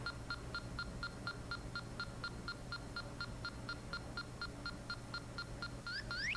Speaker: well right there you'll hear it going off all right and somewhere in that element all right is the leak